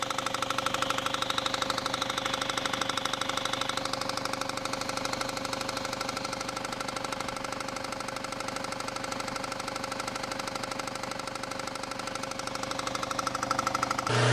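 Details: Loud idle with heavy, fairly regular deep knock about three per second from low in the engine, sounding like rod or bottom-end bearing knock; another workshop diagnosed bottom-end knock needing engine replacement, but a failed harmonic balancer was the actual cause.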